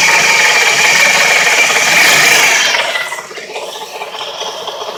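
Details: Fast, even rattling chatter rides high over the running engine and fades as revs drop, worsening progressively over time. Cause was worn bearings in a 2-year-old 130 A alternator with 20k miles, not the crank pulley or tensioner; alternator replaced.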